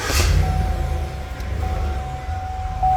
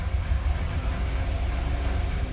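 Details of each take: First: 2015 Cadillac Escalade 6.2L V8 after fixing the cylinder 8 misfire (P0300) and clearing codes: the engine revs up and down smoothly and evenly with no stumble. It runs normally, though a slight intermittent misfire on cylinder 7 was noted. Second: 2015 Cadillac Escalade 6.2 L V8 with flashing check engine light and code P0300: deep idle with an uneven, stumbling beat and dropped pulses. Engine misfire.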